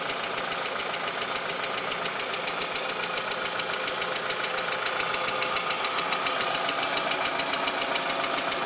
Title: VW MK IV 2.0 Engine ticking Noise